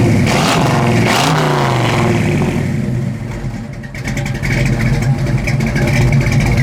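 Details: 1973 Ford Mustang Mach 1, factory original big-block V8 with 5-speed manual, revved briefly from idle: deep lumpy burble rises smoothly and settles back, loud exhaust; normal healthy engine.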